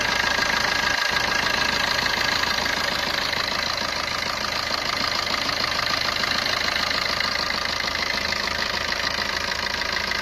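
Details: Maruti Ertiga engine at idle: fast, even metallic rattling ticks, about three a second, over the idle. Abnormal engine noise attributed to a timing chain issue.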